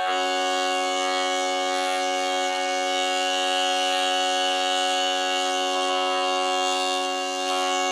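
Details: Jensen V21 Leslie upper compression driver tested on the bench: a steady tone carries a rough bumblebee buzz underneath that remains after readjustment, showing the diaphragm is worn out and must be replaced.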